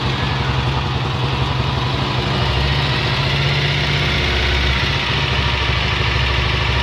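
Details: Honda XLR single-cylinder at idle: steady thump with a busy, rattly clatter throughout; abnormal mechanical noise, source unclear, suspected not confirmed.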